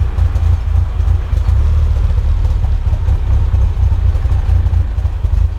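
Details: Mitsubishi Evo first real startup after fixes, cold (oil 54°C, water 70°C): loud low-pitched idle about 900 rpm with uneven lumpy pulse; rough idle, slightly improved, no ticks, knocks or check engine lights.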